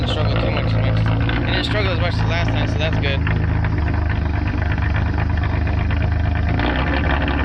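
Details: Nissan Altima SE-R started on a jump after a dead battery, just after AC condenser and radiator replacement, coolant refill and oil change; it catches quickly and settles into a steady, even idle with no misses or knocks, a normal start.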